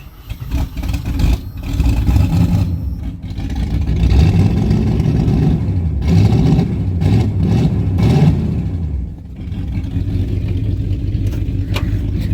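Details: 1977 AMC Matador sedan with 360 5.9L V8, cold start then heavy blipping revs with a raw, booming, unmuffled bark and smoke; missing muffler on the exhaust.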